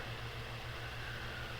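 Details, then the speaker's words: Bathroom fan, shaded pole motor, after oiling of seized bearings, on high speed: steady even hum, smooth low drone, no scraping or ticking; spinning freely, running as it should. "oh oh guys that look at look listen to that guys that fan is running incredibly smooth that is working so much better now guys look at that that is how the fans should be running guys"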